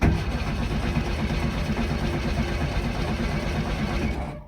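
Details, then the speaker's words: VW Golf Mk1 1.4 carburettor, an abandoned car being revived: the starter turns the engine over evenly for about four seconds with no battery warning light and no spark, and it never catches. Cranks but does not start. "Okay, so I've been fighting and I'm still trying to get spark. The battery light inside doesn't switch on and there's no spark."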